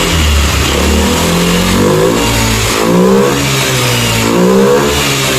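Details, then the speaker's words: Honda Beat ESP scooter after swapping the faulty original injector for a Scoopy injector: engine revs up in smooth rising sweeps, steady low rpm and clean high-rpm pickup, no stumble or misfire; normal revving, fuel delivery healthy. "maka untuk si bit ini dia hidupnya normal ya hidupnya normal pas posisi dig gas RPM atas juga tidak ada kendala sama sekali"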